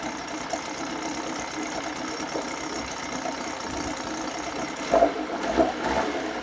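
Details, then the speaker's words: 1980 Chrysler Sea King 15 hp two-stroke outboard, still cold on an engine stand, after its ignition coil was replaced; it previously misfired at quarter to three-quarter throttle. Light, steady buzz with no missed beats, responsive and without hesitation. "I think I fixed it. It's really responsive. There's no hesitation. I think this is it."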